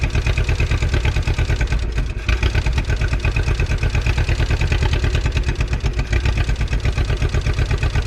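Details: 1951 Willys CJ3A Jeep four-cylinder, off the road since 1969, with the fuel line gravity-primed and the fuel pump working: deep, steady chugging idle at about three beats a second with no knocks or misses. Normal idle.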